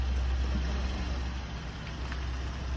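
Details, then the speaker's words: 2001 Nissan Sentra that started right up without a jump, shifted reverse then forward, idles very quiet with a low, steady hum and no knocks, ticks or misses; sounds pretty good. "And back forward. Very quiet. Sounds pretty good, folks."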